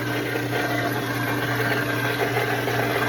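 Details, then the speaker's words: Pond skimmer pump with the skimmer door shut and pad removed: loud, constant hum with rushing, churning hiss, no pitch change, as the pump starves for water; sound gets much quieter once the door opens and water reaches it. "and that noise is a loud noise that loud noise is the pump waning water CU I shut you off"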